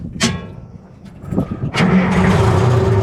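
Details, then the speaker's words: 1970 International Hough H60 payloader with a Detroit Diesel 3-71, restarted after an earlier runaway: a couple of quiet clunks, then it catches immediately and settles into a steady low rumble; normal easy start. "God, that starts so easy."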